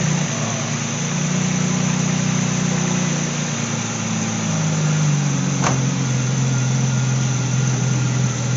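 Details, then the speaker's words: BMW Z3/E36 petrol engine starting after an oil and filter change: smooth even idle, no rattle or knocking; briefly ran rough afterward because the oil cap had been off, PCV system detecting a leak. "you hear how nice that started oh it doesn't like the fact it's home"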